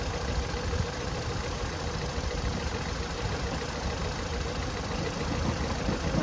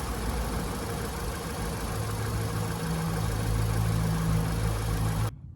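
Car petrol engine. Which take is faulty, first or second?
first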